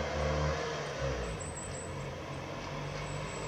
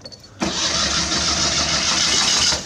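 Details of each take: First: Old Citroën Acadiane bought unseen in Germany, repaired on the spot and driven on a December day. A steady, even engine note with no knocks or misses. It runs fine but is slow to gain speed and needs adjustment. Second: Old Citroën Acadiane bought unseen, dusty and just reconnected: fast, steady cranking for about two seconds with no firing or catch. Fuel is present, so the owner concludes there is no spark; previous owner's wiring is suspect.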